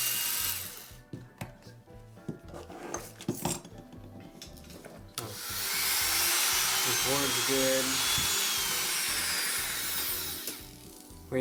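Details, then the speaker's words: Wahl Lister Stablemate livestock clipper that the customer says is loud, before the repair, with a sharpened blade fitted. Starts with a loud, harsh, steady buzzing grind from a worn cam bearing and gear, which are then replaced. "well done that sounds good I'm gonna ship it back no I'm just kidding that sounds horrible"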